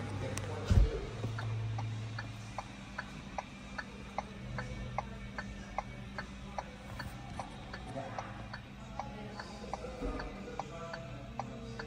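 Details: VinFast VF8 with hazard lights on. Sharp ticks come at an uneven, stumbling pace over a low hum and background noise. Irregular hazard flasher rhythm.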